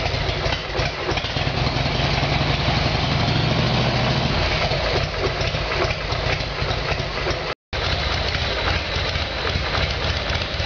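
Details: Harley Evolution Sportster V-twin, cold start on choke after a carburetor repair: catches and holds a lumpy, loping idle with no misses or pops, despite backfiring being expected when cold. It runs properly now.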